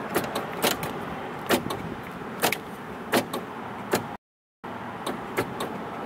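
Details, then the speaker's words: 1977 Cadillac Seville power seat: sharp irregular clicks, about five over a few seconds, in a quiet cabin; the up/down motion clicks but doesn't engage, while forward/back works; cause not pinned down. "seems to want to work it really does okay but however even though you can hear this clicking the um up and down is not engaging"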